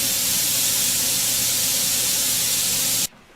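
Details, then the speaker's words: Autoclave steam sterilizer after about half an hour of sterilizing: a loud, steady hiss of steam vents for about three seconds, then cuts off abruptly. This is normal pressure release back toward one atmosphere. "so now i'm ready to release the pressure when i do this it will it will fill the room with stench so i will turn on the exhaust fan before i flip the valve press this dropping here"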